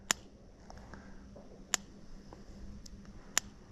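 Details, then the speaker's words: New Cyclops Master electric fence charger tested on the wire: sharp snaps about 1.6 seconds apart, sparking a hot blue spark; normal, strong charger pulse. "oh yeah even the ones where I don't have it held just right are sparking a nice hot blue"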